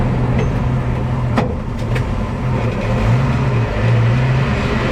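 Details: Low droning moan under road and engine noise that comes and goes with each brake application; brake noise when braking, cause unknown.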